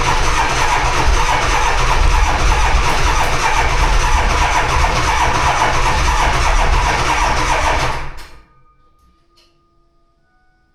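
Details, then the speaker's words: Diesel dually pickup at 18°F: heavy, labored cranking at roughly four turns a second that drags on, then cuts out. Slow cranking from a starter on its way out and flat batteries, with only about three glow plugs working. "Well, there's three things this girl badly needs. Starter is on its way out. About three of the glow plugs work. And her batteries are shut."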